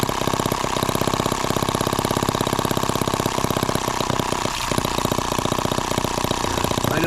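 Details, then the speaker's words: Microcosm H76 model engine on its first start runs with fast buzzing firing, dropping out and stumbling every second or so; the spark plug was found drowned in fuel. "well there's our spark plug and yeah it's just drowned in fuel"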